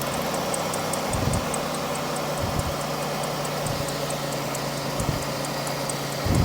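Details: GM 3800 V6 (Pontiac) with a P0300 misfire code idles with a stumble about every second and a bit, a rough puff in the exhaust note each time. Two coil towers showed no spark: a dead cylinder from a failed ignition coil.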